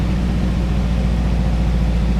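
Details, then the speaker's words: 1985 GMC Sierra S15 (S10-type) pickup, 2.5 L four-cylinder, 31,000 on odometer, fully warm: steady drone with idle stuck too high instead of dropping. Suspected head gasket problem; water pump, thermostat, coolant and head gasket planned. "You can tell the idle up. Now the engine's already hot. That idle should be coming down. It shouldn't be that high still yet."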